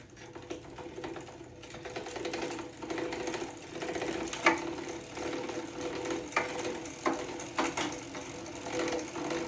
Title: Zwift Hub Grinding Noise